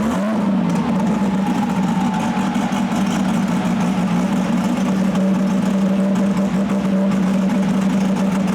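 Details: RB-engined race car being tuned: loud, steady high revs under load with rough ragged note; number four cylinder dropping out, team considering swapping the coil or injector peak-hold settings.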